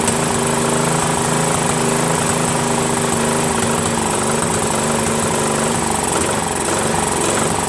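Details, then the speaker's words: Craftsman 13.5HP mid-engine riding mower replacement engine after fitting new flywheel key: rising and falling note instead of steady governed speed, still surging and slight backfire; governor reset gave no change, owner suspects carburetor. "runs a little better but it still backfires a little and still surgeon I don't know maybe it's the governor needs to be reset"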